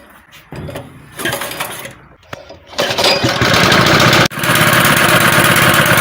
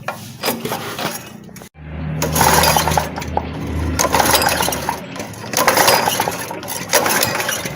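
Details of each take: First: Honda gasoline water pump that wouldn't start, after cleaning sand and dirt from carburetor, plus spark plug and air filter: pull-start catches, engine settles into steady even run with no misses; normal running. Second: Honda gasoline water pump with fuel present and choke closed: recoil pulls spin the engine repeatedly but it never fires. No-start caused by sand and dirt clogging the carburetor, fixed by cleaning the carburetor, air filter and spark plug.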